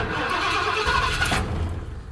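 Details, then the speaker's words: Ford truck with self-resetting ignition kill switch activated; starter grinds, engine catches briefly, then dies once the key is released because ignition is cut until the hidden switch is used. Stall from ignition cut. "but it won't stay running once you release the key but anyways all you have to do here turn the key on then you have a hidden uh switch somewhere"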